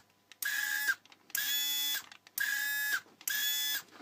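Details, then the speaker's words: Children's 6V/12V ride-on Mercedes SLS AMG toy (QX7788, Qunxing) after remote receiver PT8A978/8A977 repair: four short runs of steady high motor whine, forward and reverse, clean spin-up and stop, no grinding; drive motor works. "włączamy radiostacje i co I proszę bardzo mamy na silnik podskakujący czyli tył przód"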